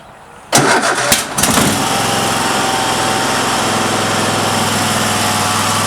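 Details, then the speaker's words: Cub Cadet mower with Kohler Courage 750cc, previously not starting, throttle near fast, starting spray squirted in: short crank, catches within a second into steady, even fast run with no misses; normal start. "I put the throttle up near fast, and I'll start it up for you. You just take the spray, give it a little squirt, and it should start right up for you."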